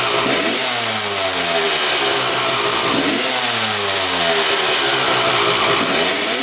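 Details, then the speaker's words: 1995 Honda CR250 two-stroke with a horrible bog: revs rise and fall but flat and slow to climb off the bottom; power valve shaft not rotating 90° with throttle, power valves stuck closed and not opening at high rpm. "not moving at all that vertical line on the shaft there is supposed to go horizontal as you hit the throttle and those power valves are supposed to open they're not opening at all"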